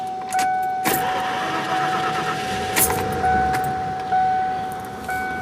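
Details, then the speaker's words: 1991 Mercury Grand Marquis, fuel injected, recently given Marvel Mystery Oil and 20W50 oil change and recharged original battery: odd whirring starter with clunks, as if no compression, takes several seconds to start; owner suspects replacement starter or dirty injectors. "But the sound of that starter just sounds weird. It almost sounds like that there's no compression on the engine when it's starting or something, but may just be a replacement starter that someone put in."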